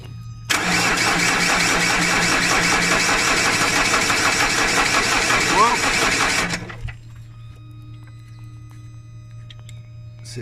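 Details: 2010 Vauxhall Insignia diesel, won't start: steady, even cranking at about three beats a second for six seconds, never firing; barely any diesel reaching the high-pressure rail, a lazy fuel pump found to be the cause.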